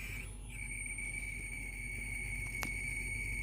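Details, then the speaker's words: Split air conditioner outdoor unit with one compressor phase deliberately disconnected to trigger an error code: fan runs, steady high whine and low hum, then a click as the compressor tries to start and stalls. "cerca di partire anche il compressore, come sentite il rumore, è andato, si è bloccato il compressore, vediamo se dà qualche errore."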